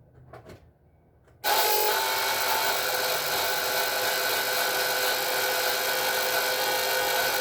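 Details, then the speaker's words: S197 Mustang 3.7L V6 single-turbo build, oil scavenger pump at switch-on: loud, steady, high-pitched whir and rasp that stays even; pump whine, owner suspects bad pump bearing. "it's really loud when you turn it on it sounds like almost a bad bearing in the pump so i'm leaning towards it's a bad pump"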